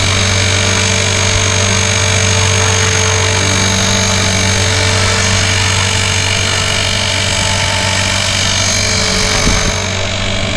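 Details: Blade 360 Fusion RC helicopter in flight, flown on autolevel, with sand in the spur gear: a steady electric whine over a loud, harsh gritty rasp as the sand grinds in the spur gear.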